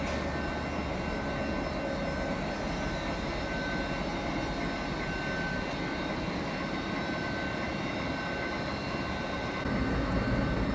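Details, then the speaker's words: Newly installed large lathe's first start-up after converting supply from 415V to 380V, spindle in the middle speed range set via inverter: steady hum with fine even gear whir, no knocks or grinding; spindle running healthy. "Và bây giờ chúng ta có thể khởi động máy tiện. Vì vậy, chúng ta sẽ bắt đầu ở dải tốc độ trung bình và sau đó sẽ điều chỉnh bằng biến tần."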